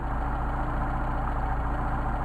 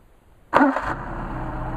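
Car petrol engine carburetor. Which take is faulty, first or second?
first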